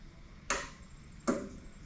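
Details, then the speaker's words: 41-year-old Toyota Landcruiser HJ47 diesel, battery just connected while testing glow plug circuit wiring before first start: two sharp clicks about three-quarters of a second apart; glow plug relay is working and pulling in properly. "that sounds like the glow relay is actually working, which is awesome."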